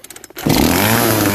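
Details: Poulan PP4218AVX chainsaw that started then died, repaired with substitute parts: after a few pulls it catches and holds a steady, even two-stroke buzz with no stumbling; normal running.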